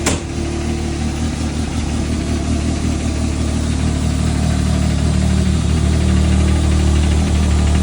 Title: Can am Maverick X3 XMR Turbo RR ticking noise Can somebody tell me what it is?